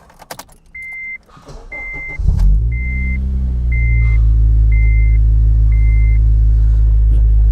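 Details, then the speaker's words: Honda with suspected idle trouble when AC is switched on, throttle body being checked: chime beeps, engine cranks, catches and settles into a steady, even idle with no stumble or hunting; sounds better, oil fine. "Okay, it sounds better. I'm at 1.5 right now. Oil's good. Radiator fans kicked on."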